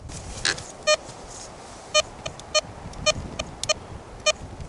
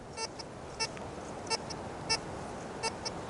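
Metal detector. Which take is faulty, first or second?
second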